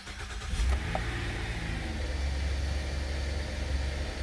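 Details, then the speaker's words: 2008 Buick Enclave with no-start/stays-running fault from water leaking onto a fuse panel, after cleaning corrosion and dielectric grease: cranks briefly, catches cleanly, settles into steady even idle; starts fine. "Starts up fine."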